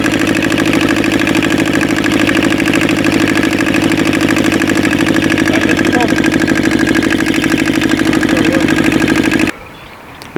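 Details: Aixam Crossover microcar diesel after replacing the variator with an aftermarket part and a new accelerator cable, which cured the noise: steady even diesel clatter at constant beat, no slipping or belt squeal; engine and variator running normally.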